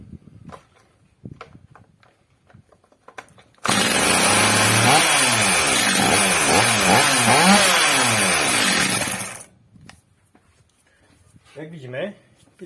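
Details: Stihl MS230 chainsaw after an aftermarket carburetor swap with adjustment and new clutch springs; fires up and revs cleanly up and down for about six seconds without stumbling, running well.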